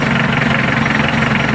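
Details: Mitsubishi L300 4D56 diesel idling with even, regular clatter and no misses or stumbles, after fixing a no-start caused by a failed fuel shutoff solenoid that had power but would not engage.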